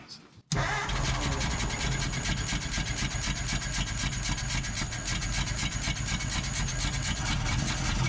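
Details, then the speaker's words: 1947 Ford Coupe flathead V8, unrun for about 15 years, throttle hooked back up: uneven chuffing about four a second over a ragged idle, puffing back through the carburetor; ignition visibly arcing; cause unclear. "Still seems like it's puffing through the carburetor. Why is that?"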